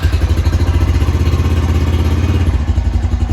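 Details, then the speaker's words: Honda TRX350 Rancher 350 quad, after carburetor cleaning of a barely clogged pilot jet and new cables, on an auxiliary fuel cell: even, steady low thumping idle holding without choke, no stumbling or hunting; normal idle. "look at that we're already running without the choke on which it wouldn't do before"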